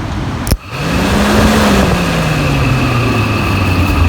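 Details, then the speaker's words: 1999 Jeep Cherokee XJ, inline 6, electric cooling fan motor tested by wiring it straight to the battery: a sharp click as power connects, then a steady whirring hum that settles slightly lower. The fan motor spins normally. "there we go very good that motor is working"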